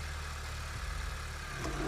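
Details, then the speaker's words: 2008 Honda Civic FD 1.8 at idle with A/C on after replacing the passenger-side (left) radiator fan motor, both fans running: quiet, strong even fan rush, no grinding or rattle; previously the fan made a loud noise; now normal. "ปกตินะครับเสียงเงียบนะครับพัดลมแรงนะครับใช้ได้นะครับเสียงไม่มีนะครับ"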